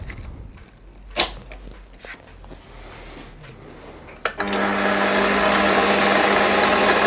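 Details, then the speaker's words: Milling a V-slot in a float lock vise jaw on a lathe cross slide with a 90-degree angled cutter in the chuck, taking small cuts. After setup clanks, a buzzing, ringing, harsh cut; chatter because the work isn't held rigidly. "only going to take small cuts because the work is not as rigid as I would like so there is a bit of chatter as you can hear obviously on a meal you'd be able to fix this down far more rigidly than I can on the lathe"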